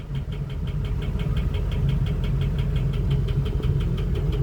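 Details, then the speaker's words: Ford 6.0 diesel (2003–2007), replacement engine fitted a year ago, at idle: sharp, steady metallic tapping about six to seven a second with a cylinder 5 misfire from a bad injector; heavy smoke appears and the noise worsens with rpm. "I don't know if you can hear the noise, but there is a pretty heavy tapping noise. Usually that's bad engine, but in this case we have a cylinder number 5 misfire."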